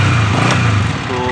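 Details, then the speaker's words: Single-cylinder motorcycle with a newly wired anti-theft kill switch (chor switch): a steady low thump cuts out within a second and the engine winds down when the switch is turned off; the switch works. "Bike को बंद होना चाहिए और ये बाइक बंद हो चुका है।"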